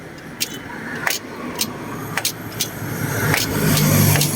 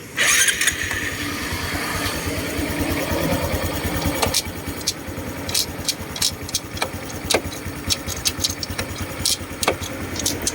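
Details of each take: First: Honda Wave 125i LED motorcycle idling with sharp metallic clunks on engaging gear, blamed on an over-tight clutch adjustment grooving the inner bearing; the fix is loosening and readjusting the clutch. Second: Honda Wave 125i LED after clutch adjustment loosened: engine starts and idles evenly, gear engages with only light clicks; loud clunk on engagement, caused by overtight clutch pressing the bearing, is gone.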